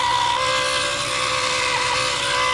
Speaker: oh why is that making noise like that H that didn't do that before we can't have that IND Doral making that noise